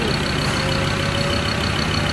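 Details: Rebuilt Ford Ranger diesel engine on its first start after injector bleeding, microphone near the engine: steady, unbroken diesel clatter at idle with no hunting or missing; healthy normal idle.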